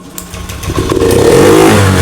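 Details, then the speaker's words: Honda BeAT FI digital scooter (ACG matic) with blinking MIL, sputtering and bogging under throttle: engine starts and races at sustained high revs, never dropping to idle because the throttle is stuck and not returning; throttle to be repaired. "gasnya tidak membalik Pak gasnya tidak membalik tuh macet"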